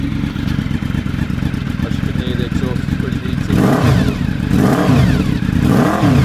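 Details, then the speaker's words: Honda motorcycle, cold start on full choke on a mild day: deep, even rumble with smooth throttle blips and no knocks, rattles or misses; runs healthy. "Yeah, there we go. And once it's warmed up a little more, it'll idle just above 1000."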